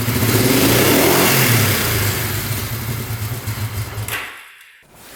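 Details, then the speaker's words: 1971 Honda CL350 twin, not run in over 25 years, revved before pilot screws go from one to two turns out: rough revs that sag and nearly stall off throttle, won't idle; lean pilot mixture. "So, let's see if that makes a big difference. Oh yeah. So it was a little bit lean on the pilot."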